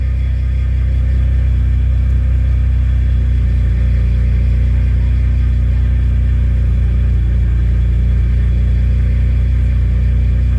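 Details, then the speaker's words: Car idling in neutral after replacing a bad fuel pump that caused stalling: steady, even low rumble with no stumbling or surging, holding a smooth idle and not dying; oil light went off. "i think i fixed it it's idling now and it's not about to die"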